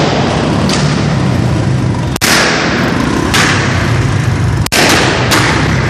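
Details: Royal Enfield single-cylinder running rough, with irregular loud pops and thuds about every second breaking the beat: engine misfire.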